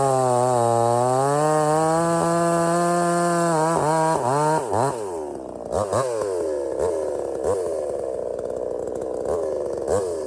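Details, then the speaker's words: Budget Temu chainsaw shortening a hurricane-felled log, possibly rotted in the middle: screaming high revs, pitch sags and wavers as the chain bites and pulls steadily through; cuts easily, starts easy and runs strong, normal. "But you saw that that cut through that like really easy. No problem."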